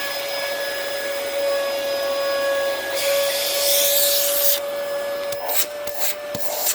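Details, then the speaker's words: 2002 Dyson DC07 HEPA+Bactisafe vacuum with bin on, strong suction, no duct clogs: steady high motor whine with rushing air, then uneven sputtering and surges as it spins down; odd motor wind-down, cause unclear. "you hear that wind down how weird that sounds although again yeah so that there's no clogs in this ductwork because otherwise there wouldn't be that there's still very strong suction now that motor wind down is really weird"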